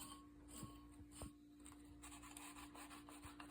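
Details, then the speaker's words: Worn turbocharger from a turbo 1992-2000 Honda Civic D-series, shaft turned by hand: dry scraping rasp with light clicks from excessive shaft play and a worn-out bearing, which made the car smoke at idle; replaced with new turbo. "Got shaft play. It's crazy, isn't it? Absolutely worn out. Look, check it out. That is exactly the same as that one. Listen to that bearing."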